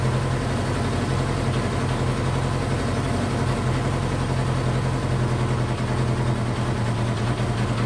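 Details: Honda CB500 four-cylinder, first start after an attempted liquid engine rebuild, choke on, running on all four, idling a little over 2,000 rpm before a second compression test: fast, steady, smooth idle hum; idle is too high, compression cause unconfirmed.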